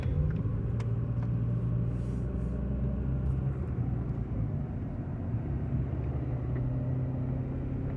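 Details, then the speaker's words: 1995 Honda Accord, about 339,000 miles, coasting downhill off throttle: low steady growl under road noise, no vibration, gone under throttle uphill; owner believes it comes from the front, cause unknown. "okay so now when we go back up the hill there's no growling noise and everything sounds great"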